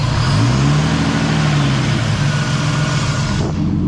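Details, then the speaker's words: Turbo M50 BMW E30 (500whp) with a new surge-tank fuel pump: engine catches, then runs unevenly and stumbles, pitch sagging as fuel pressure jumps up and drops; fuel starvation stall. "it jumped up and then went down is it not working still with this new pump dude this is exactly what I would need"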